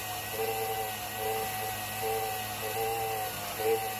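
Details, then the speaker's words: Tesla Model 3 coolant system after drawing a vacuum with an adapted hand pump to purge air: steady pump whir with a warbling surge about every second, pumps bogging as air bubbles pass; trapped air in the coolant loop. "It's trying to work the air out the system. You can hear them bogging down and catching air."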